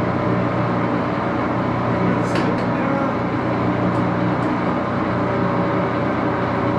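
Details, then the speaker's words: Axelson 14x30" heavy-duty gear-head lathe, headstock filled with AW68 hydraulic oil, started up and run through its gears: loud steady gear whir and hum with a few light handling clunks; normal running, just a noisy machine. "it is a little bit of a noisy machine Let's Start It Up"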